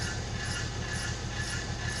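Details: 1999 BMW 323i automatic on a lift, rear wheel spinning: continuous scraping grind with a steady rhythmic pulse from the rear wheel area; cause not confirmed, earlier transmission oil change did not help.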